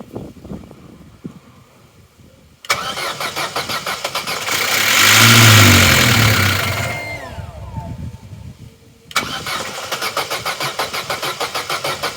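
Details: Corsa B sat 4-5 years, new battery at 12.1 V: steady rapid cranking about three beats a second that never catches; spark confirmed good as it ran on fuel through intake, so crank no start from no fuel delivery.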